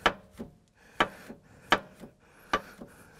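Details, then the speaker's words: 2001 Skoda Fabia 6Y 2.0 115 PS (AZL), rusted worn front anti-roll bar with play, noisy when steering and over potholes: sharp metallic clacks about every 0.7 s as it knocks against its mounting bolt; car raised on both sides. "weil das steht dann so unter Spannung vergisst es und sprechend seht ihr dann klopft es immer gegen die Schraube ja"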